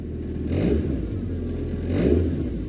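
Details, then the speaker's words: 1997 Saturn SL2 after replacing engine and transmission mounts: two even revs with steady low drone, no knocks, car not shaking; AC compressor bearing or tensioner noise still suspected; smooth rev with no shaking. "but let's see how it revs it is running good nice and smooth whole car is not shaking"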